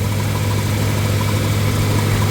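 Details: 1977 Ford F-150 idling during failed voltage regulator troubleshooting; 14 volts measured, owner notes a bit high: steady even low rumble, no knocks or misses; engine and charging sound normal.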